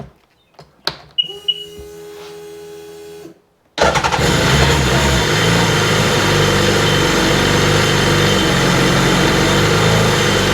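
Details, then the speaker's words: Nasty RXDI engine on the bench after rust-packed injector and regulator were found and a new fuel rail fitted and primed: short crank, then it runs with an uneven, stumbling beat; it is still misfiring. "Still got a bit of a misfire to"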